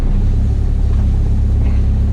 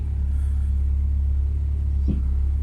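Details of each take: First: Ford Focus ST170 track car idling after the steering rack was fixed and refitted; fluid seems low and there seems to be some air in the pipe. A steady low rumble with no pump howl or whine, unlike its usual howl after running dry. The power steering pump sounds normal. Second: Ford Focus ST170 track car idling evenly, then one dull clunk as the steering wheel is turned from centre, caused by a faulty reconditioned steering rack.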